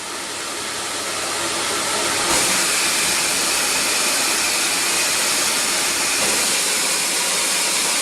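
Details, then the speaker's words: CamVac CGV286 twin-motor workshop dust extractor, about four years old: loud, even airy rush with high motor whirr, like a domestic vacuum cleaner; both motors running normally, noise mainly from extracted air. "ok so the motor noises is much like a domestic vacuum cleaner at home you really hear the motor working"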